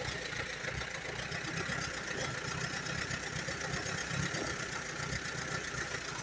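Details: 1938 Allis Chalmers B tractor with rare Waukesha engine, just bought: lumpy uneven idle with irregular pulses under steady exhaust drone; runs only on choke, plugs a bit rich, carburetor needs rebuilding badly.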